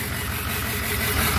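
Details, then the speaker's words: Flatbed truck at 213,379 on the odometer, idling: lumpy, uneven idle stumbling every few pulses; misfire worsening, runs bad at idle though it still starts right up. "that sounds terrible now it's running bad island now it's definitely getting worse"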